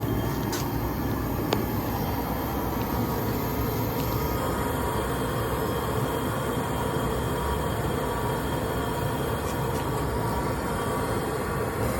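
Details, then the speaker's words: Riello oil burner motor running: steady rough growl and grinding with a faint high whine from worn motor bearings, getting louder over time and nearing failure. "That's the burner motor failing. That's the bearings in the burner motor. They're no good. Can hear it grinding."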